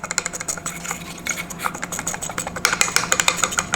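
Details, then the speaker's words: Sherco motorcycle radiator cooling fan (original) with lots of play: irregular light clicking and rattling over faint engine hum, owner wonders if blades touch the edge; to be replaced with a SPAL fan. "it's rattling like a lot so I wonder if it's touching the edge or what but it's definitely got a good amount of play in there"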